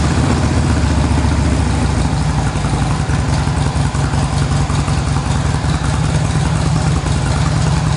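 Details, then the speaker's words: Stock 2007 motorcycle, 10,000 miles, not warmed up, just after GlidePro motor mount install, no break-in yet: low even idle, steady beat, slightly rough from cold, no knocks or misses. Normal cold idle. "cold I don't know how way you can hear me it's not warmed up down yet"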